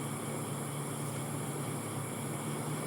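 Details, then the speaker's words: Window-type aircon unit, fan motor running on turbo/high speed: steady even rush of air with a low hum, no rubbing or rattle, no problem with the fan speed, while the compressor won't start and draws high amps (dual capacitor suspected). "Ayan, turbo yan. Walang problema sa speed."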